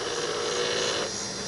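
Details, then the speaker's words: 2015 Chevrolet Impala Limited after replacing the HVAC blend door actuator behind the glove box, which had been clicking from worn gears: steady blower air rush, no clicking or knocking, actuator working normally. "up like it should with no clicking. Awesome! That went well."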